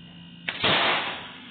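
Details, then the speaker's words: New replacement refrigerator compressor, bench-tested after the old motor failed: sharp pop as the discharge safety seal blows off, then a hissing rush of gas. Normal, efficient discharge pressure. "ya listo amigos el seguro lo cual nos indica que el motor está eficiente y así debería haber descargado el otro como justo como está haciendo esto"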